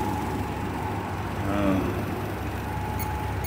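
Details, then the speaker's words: 2007 Nissan Versa at idle after new A/C compressor, R134a recharge and replacing a blown fuse (old clutch burnt): steady engine hum with even compressor drone, no clatter or squeal; clutch engaged, compressor working normally. "okay now you can hear the compressor CL is working"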